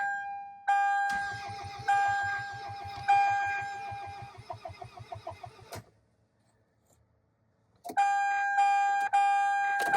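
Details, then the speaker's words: 2002 Toyota Camry, 273,000 miles, sat over five years, low fuel, about 32°F, coil pack wiring harness found cut: door chime over steady starter cranking that never catches, tachometer not moving; cranks, no start. "But one thing I do notice, if you watch the RPM gauge, it does not move at all."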